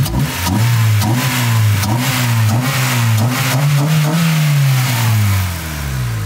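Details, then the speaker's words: Abandoned Honda Civic revived: clean deep engine note climbing and falling through several smooth blips with strong intake roar, no knocks or misses; healthy engine revving. "I think my favorite thing about this is just the intake"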